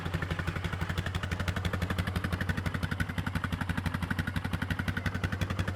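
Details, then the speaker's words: Neglected ATV that sat unused, running with a fresh battery: steady even single-cylinder putter, no misses or rattles; apparently just needed a battery; normal idle. "And it just looks like it needed a battery. Seems to be idling good."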